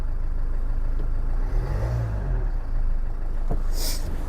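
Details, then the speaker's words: 2014 Range Rover Evoque after timing belt and water pump replacement, first start after coolant refill, cold: brief rev then low, even, steady idle with no knocks or ticks; runs perfectly. "No matter how much I know everything's timed up correctly, it's nerve-wracking this first start. Press clutch. Right, runs perfectly."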